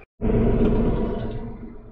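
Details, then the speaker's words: Tractor diesel started with key after glow plugs activated: deep, even rumble with no knock or misfire, running normally. "we've got our glow plugs active right now and we'll go ahead and turn it over okay so hopefully you can hear that tractor running a little bit"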